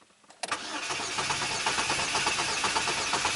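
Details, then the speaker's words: 2009 Chevy Cobalt, 92k miles, P0300 with cylinder 3 misfire: relative compression test cranking about two beats per second, uneven, one stroke weaker, suggesting low compression in cylinder 3; suspected, to verify with scope and gauge. "that doesn't sound very good uh I'm going to have to get the scope out and throw an amp clamp on the battery cable and see if we're missing compression in that cylinder"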